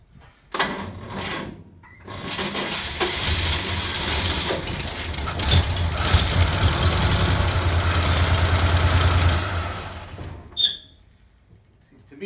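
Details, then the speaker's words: 1947 GMC engine on 6-volt battery: cranks, catches and runs roughly for several seconds, then fades and dies, won't idle; owner suspects it's not getting gas, possibly a clogged carburetor jet, cause unconfirmed. "me that sounds like it's not getting gas so I don't know if anybody knows what have any suggestions I'm guessing I'd probably have to take this carburetor apart again figure out why it's not getting gas maybe it's just a clogged jet who knows"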